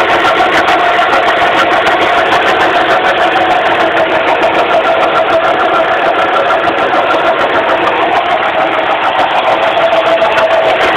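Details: 2006 Suzuki Forenza at idle, hood open: loud, steady mid-pitched hum over fast ticking from a failing power steering pump.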